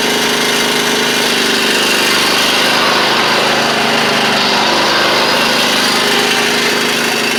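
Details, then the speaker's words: Huskee Supreme riding mower, deck running with guards installed, spindles without grease fittings; steady engine drone under loud gritty whirring roar from deck; left spindle later found to be the noisy one. Worn deck spindle bearing. "spindles I will admit are a little bit loud but they don't have any grease fittings and stuff on them"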